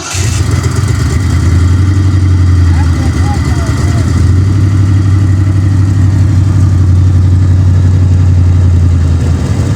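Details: Ford Mustang Fox body V8 project car, third start attempt in neutral after fitting a new Motorcraft starter solenoid and a trickle-charged battery: catches and settles into a deep, steady rumble with even firing and no stumbling, running normally.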